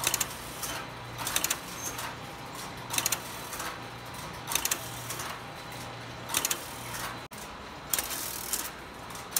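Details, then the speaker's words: Telephone exchange line finder exercise test running after earlier stops, most of the problem thought to be fixed: rhythmic bursts of clicking and ratcheting every second or so over a faint hum as district switches pick up and cycle when the line finder wipes out; normal operation. "you can see the district's picking up and cycling through which is normal behavior for when the line finder gives up and wipes out"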